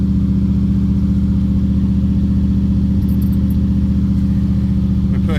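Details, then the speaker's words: Cold, new choke cable: steady, slightly raised idle with even low beat, not dropping; choke stays fully shut and won't open when cranking, holding fast idle even pushed in; owner feels it running a little lean. "I will say there's one thing wrong with that choke. When it cranks, it does not open at all. At all. It just stays shut."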